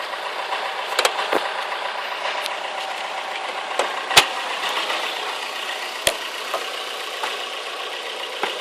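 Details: Toyota Corolla AE94 with 4AGE 20V Silvertop conversion, idle issue fixed: light sharp clicks about once a second at idle, source unknown, driving unaffected; engine mount worn (~270,000 km) causes vibration.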